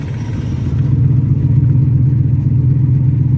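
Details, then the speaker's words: V8 while driving in third gear, deep rumble with an uneven stumbling beat about four times a second, one cylinder cutting in and out; misfire suspected, owner may replace plug or coil pack, not confirmed. "Yeah, it's definitely got some uh plug that's not firing. Yeah, I can hear kicking in. Misfiring is what it's doing. It ain't firing continuously."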